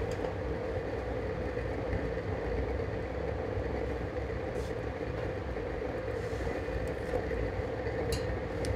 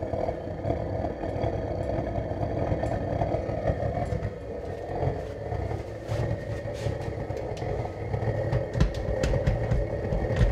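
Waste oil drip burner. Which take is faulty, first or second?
second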